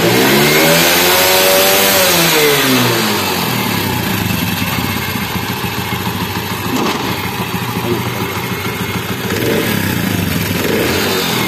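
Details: Motorcycle in an engine head noise repair: quick rev rises and falls cleanly, then an even regular beat with no tapping from the head; normal running.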